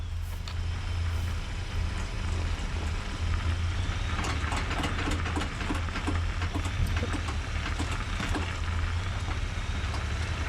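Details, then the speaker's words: Ford Ranger in 4x4 (4-high) mode accelerating while turning left or right, camera under driveshaft: sharp uneven clicks and knocks over deep drivetrain rumble; absent in 2-high, front axle boots intact; driveline clicking. "I could hear the sound every time whenever I would accelerate and turn either left or right I could hear that knocking sound occurring again"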